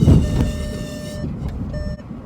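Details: A car that glitches, falsely showing the parking brake on, while driving: a steady high electronic warning tone about a second long, pausing and repeating over road rumble; keeps beeping.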